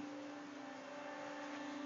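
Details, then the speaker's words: Server powered on: steady loud fan roar with strong even tone near 300 Hz, no pulsing or rattle; owner says it sounds like his car; normal server fan noise. "here's what this one sounds like it sounds like my car which is pretty ridiculous"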